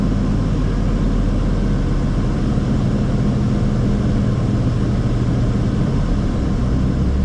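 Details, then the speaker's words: Dino with newly installed A/C, engine a little cold on an 80-degree day. The idle dipped as the A/C came on full blast, then the engine is revved slightly to engage the compressor. Deep, even note at a steady raised speed; normal running. "The engine's a little cold, so you can heard the idle drop just a little bit. But what I'm going to do is I'm going to rev it up a little bit just to get the compressor kicked over, and we should start seeing the temperature drop a little bit."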